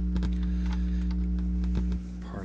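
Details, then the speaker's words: Philips HiFi Automatic 406 turntable with Grace F9 cartridge: steady low electrical hum, reduced but still present; owner suspects grounding issue or crossed audio lines. "let's turn this back on and we got our hum still right got our hum and let's poke around okay it's still going still got our hum [Music] reduced but it's still there it's enough that I wouldn't I would not sell this"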